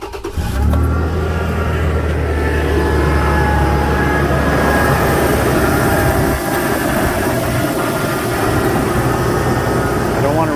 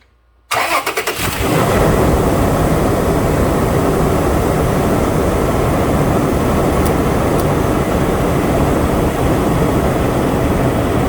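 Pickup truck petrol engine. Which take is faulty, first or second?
first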